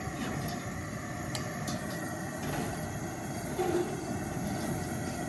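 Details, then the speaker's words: Older gas pressure camp stove converted to propane with a Stansport converter, second burner lit and opened up: steady even rushing roar, gas heard regulated down and back up, no sputter or popping; normal burner roar. "You know, it's it's very unfortunate that it's so bright, but you can hear like I'm going to turn this down. You can hear the sound of the gas literally being regulated down and back up."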